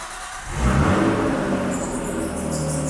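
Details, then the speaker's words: Full straight-pipe exhaust on a slow cold start while coolant was just added: engine fires, flares, then settles into a deep, raw unmuffled idle, possibly with some belt squeal. "yeah it's pretty loud I don't know if you can hear me but [Music] pretty loud"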